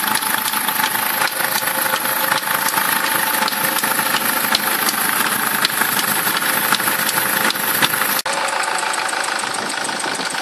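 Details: SsangYong Kyron engine at idle: sharp light clicking ticks, fairly regular, over the idle; unexplained knock inside the engine, cause unknown.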